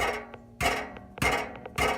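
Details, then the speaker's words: Loose baffle rattling inside the exhaust muffler of a Nissan 370Z, muffler fully disconnected from the mid-pipe: three sharp metal knocks about 0.6 s apart, each followed by a tinny buzzing rattle; the internal rattle that persisted after a header install. "rattles so this really annoying rattle so we're gonna pull it off"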